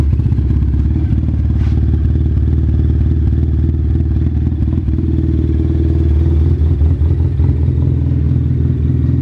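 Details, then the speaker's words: Arctic Cat Wildcat Trail with a D&D Performance Barker exhaust, after its loose throttle cable was tightened over 1.5 inches and the throttle reset, gives a low, steady, even idle rumble with no stumbles and seemingly less vibration than before. "Seems like it's got a smoother idle and less vibration after the reset."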